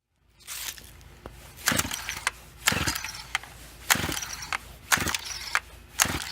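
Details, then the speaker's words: FarmerTec 200t chainsaw with new NGK plug, recoil pulls about one a second, dry whirring rattle with no firing; cranks but won't start, it fired on carb cleaner so owner blames the aftermarket carburetor, not confirmed. "nope okay you may ask so what does that mean well it means the carbs bad and that's like really not a secret"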